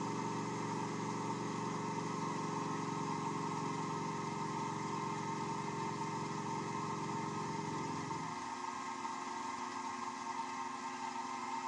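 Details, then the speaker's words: Wood lathe turning an off-center black walnut offcut: a low throbbing rumble with a rough beat once the speed is raised, easing to a smoother whir when slowed. Out-of-balance workpiece vibration at too high a speed. "all right now hopefully that rumbling noise is coming across on the camera speak microphone P so that tells me I am past the point where I want to start turning that I want to slow it back down until that noise"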